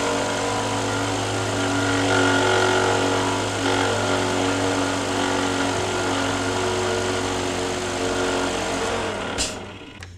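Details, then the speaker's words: Honda engine; the noise, thought to come from the timing belt, happens only early in the morning and stops once warm. Faint thin rubbing whine over the idle that tracks engine speed and stops with the serpentine belt off; points to the belt drive rather than the timing. "Okay, you hear that? It sounds like it's rubbing somewhere."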